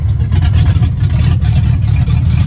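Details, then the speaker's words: 1970 Ford Falcon with a 5.0 V8 and AOD, cold start on choke (amount unknown): deep, steady, even rumble at fast cold idle with no misses, vacuum rock solid at 17-18. It runs healthy. "Sounds like a race car. Rock solid at 17 into the vacuum, 17, 18. Right in between there on cold start."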